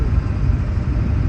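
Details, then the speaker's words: 2003 Ford F-250 7.3 turbo diesel Powerstroke, two days after replacing the starter, which was the only fault. It starts right up, glow plugs work, and it settles into a deep, even diesel idle with no misses or clatter. Normal idle. "it's only two days later and uh replace the starter that was all that was bad starts right up the glow plugs work"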